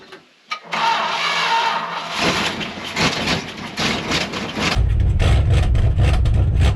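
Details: Long-sitting Dodge W300 4x4 dump truck, revived with new brake cylinder; engine cranks briefly, catches and revs unevenly, then settles into a steady deep even idle with no misses, running healthy.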